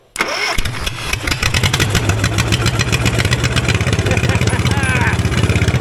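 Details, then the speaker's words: 1960s Caterpillar pony engine after carburetor cleaned and remounted, at mid throttle, not yet warm: catches right away into quick even firing beat, no misses or knocks; runs well about 30 seconds. "thank you that was a great success awesome it sounds like it runs really good"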